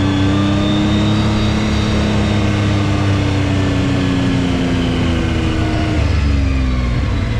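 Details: 2019 Yamaha YXZ1000R SS side-by-side, 5-speed gearbox with clutch and paddle shifters, on a neighborhood drive: steady whine over the engine drifting with road speed; normal straight-cut gearbox whine, nothing wrong.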